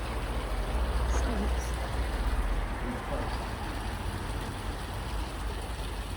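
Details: 1963 Mercedes W111 with mechanical fuel injection, after cleaning the injectors ultrasonically and the distribution block; low steady rumble running smooth and even with no misses or knocks, injection delivering properly.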